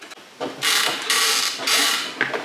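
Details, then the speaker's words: Volantex Phoenix 2400 RC glider, with the rudder driven by a servo tester after the control horn and linkage were fitted: short bursts of dry creaking and gear whir on each rudder swing; linkage or servo binding suspected. "again you can hear the creaking really do hope that settles down cuz that's going to annoy me"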